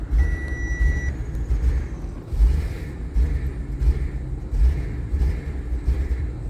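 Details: Audi RS5 with engine light and tire pressure warnings on, no foot on the pedal: deep idle rumble stumbling unevenly with irregular heavy thumps about once a second, a rough idle.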